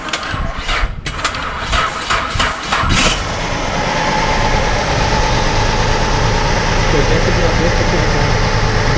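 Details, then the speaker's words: Engine started after a P0202 injector code: shakes, hesitates and vibrates with a lumpy, uneven idle, one cylinder missing; misfire confirmed from cylinder 2 fuel injector not firing, a circuit issue in the injector circuit. "गाड़ी में shake है, गाड़ी hesitate भी कर रही है, गाड़ी vibrate भी कर रही है। तो डेफिनेटली हमारा जो सिलेंडर 2 का इंजेक्टर है वो काम नहीं कर रहा।"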